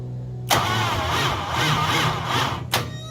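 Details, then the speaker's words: 1968 Ford Bronco Coyote V8 swap on default stock tune after fuel filter fix: catches with a sharp burst, runs rough about two seconds, stalls abruptly, then turns over very slowly and stops; owner suspects binding clutch or no oil pressure. "Pretty abrupt stop. Real slow turning over. And then nothing. Nothing at all."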